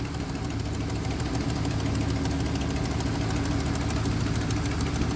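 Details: Big-block OBS street truck just after first fire-up, with a dead cylinder: steady idle with a faint light tick at engine speed over the rumble. A couple of stuck lifters are suspected.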